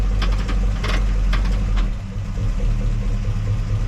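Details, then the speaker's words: 1967 Chevelle 283 V8 during break-in, column-shift Powerglide in park, idling about 570 rpm per timing light, slight cam heard: low, lumpy idle with loose metallic clanks early on; typical Powerglide clatter. "Yeah and this is what brings back the memories the clanky Clank of the uh call shift power glide look"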